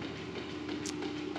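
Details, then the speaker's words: Restored Diresta bandsaw, first run with new motor starter and flat belt: steady thin whir over faint hiss as motor spins to full speed fast; heavy main wheel inertia makes belt slip on pulley, motor alignment also suspected. Flat belt slip. "when we start this thing up, this motor is just basically spinning up to full speed really fast, and you're getting some slippage on this pulley here."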